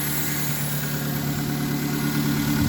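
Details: 1999 Mazda Protege idling after cleaning a dirty MAF sensor: steady even idle, smooth low hum, no misses, surging or knocks; engine running cleanly.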